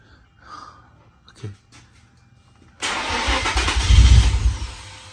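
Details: Nissan Stagea NM35 at first start attempt after engine refit: quiet at first, then a loud, uneven starter churn with no clear catch; cranking without starting yet.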